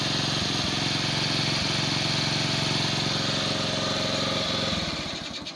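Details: Bajaj CT 100 single-cylinder at idle after new magneto coil, CDI, spark plug and ignition coil; it had been dying once warm. Even, quick putter with a steady rhythm and no misses, then it dies away; normal idle.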